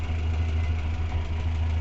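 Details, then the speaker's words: Renault 4L with the 1108 cc Cléon engine on points and condenser, warmed to about 80°C, before fitting an electronic ignition module: steady, even idle averaging 800 rpm with no knocks or hunting. Normal idle. "on regarde donc les tours moteurs. On est toujours à 800 tours. 790, 820. Voilà, on fait une moyenne de 800 tours."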